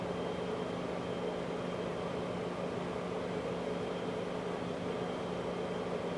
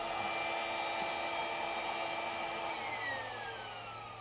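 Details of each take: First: 2003 Chrysler Crossfire 3.2 V6 with fault codes P0106, P0410 and P0151, just after starting: quiet, steady whirring drone under the idle as a pump draws in air, later winding down; secondary air pump running. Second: 2003 Chrysler Crossfire, 3.2 petrol V6 (Mercedes engine), codes P0106, P0410, P0151; secondary air pump actuation test; steady high whir winding down smoothly when switched off; pump works, ducting or switch-over valve still suspect.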